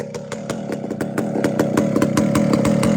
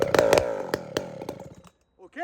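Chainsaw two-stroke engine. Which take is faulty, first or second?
second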